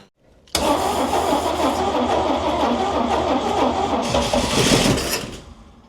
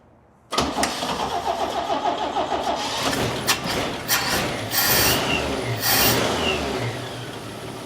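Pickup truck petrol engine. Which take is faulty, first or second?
first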